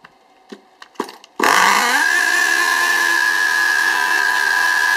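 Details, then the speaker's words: STS D30M small engine during running-in, no throttle applied, screams up to a high steady tone and hunts slightly; it runs away, revs out, smokes and cuts out, blowing fuel back to the tank; cause unknown. "you see it's h revving up and dropping down slightly but it does get worse than that and it'll completely rev itself out and smoke up"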